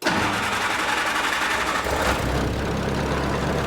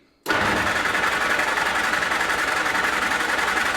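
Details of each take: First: Old flat-fender Jeep petrol engine started after refitting a fender and adding a fuse block, cooling system not yet done: brief crank, catches, then settles into a steady even idle with no knocks or misses; runs well. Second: Flat-fender Jeep with a carburetor, cranked in neutral after frame repair and a newly added alternator and air cleaner, no fuel through the carb in a while: steady fast starter churn for about five seconds that never fires.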